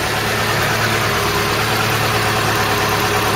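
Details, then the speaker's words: Old engine that had not run for a long time, now with no smoke at startup or while running. A steady, even idle hum with no tapping, misfire or hunting: runs sweetly, a normal idle. "there's your donkey no smoke when it starts up no smoke when it's running really sounds sweet"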